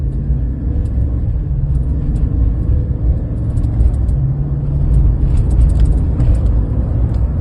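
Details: 2020 Chevy Silverado LT 5.3, whose drive belt tensioner pulley caused a loud whining noise: steady even engine hum with no whine or chirp. The accessory drive sounds healthy.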